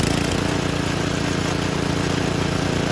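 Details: Old Snapper lawnmower on a stand, primed and started: the small single-cylinder engine chugs along with a steady, even firing beat and no misfires. It runs healthy after starting.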